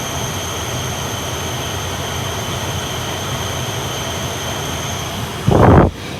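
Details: 1992 Toyota Crown Majesta (JZS149), front HVAC switched on with AC and oscillating Swing vents. Even rushing airflow with faint steady high tones and no rattles or squeals, ending in a brief handling thump; a healthy blower.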